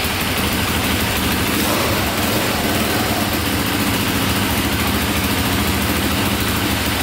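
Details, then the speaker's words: Cheap KTM 450 dual-sport single after a carburetor fix, owner suspects an overheating problem; steady, even putter at idle with no misses or knocks, a small click at shutdown the owner attributes to a failing one-way starter bearing. "sounds good there's a little click in there at the end i think that's the one-way bearing going"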